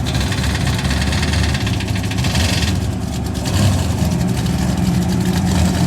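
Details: Big-block race truck engine at the drag strip: a heavy, deep rumble with a fast, sharp tapping on top. Oil pressure was fine when it happened, and it was bad by the end of the track.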